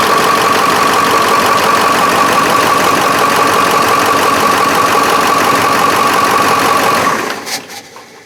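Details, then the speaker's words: 7.3 Powerstroke diesel after injector O-ring and turbo replacement for heavy oil consumption: about seven seconds of steady cranking at roughly three beats a second, longer than the usual three or four revolutions; owner suspects head oil passages refilling or low batteries. "so as you can see it runs you notice that longer the normal cranking time usually it's you know three or four revolutions that it fires up and now it takes you know six eight seconds to start"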